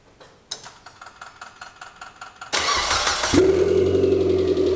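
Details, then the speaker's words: Mitsubishi 4G93T first start after engine rebuild, oil topped up: cranks, catches, settles to idle with a light fast tick; hydraulic lifters suspected still filling with oil. "Гидрики стучат. Ну, возможно, то, что двигатель разбирался. Масло накачается."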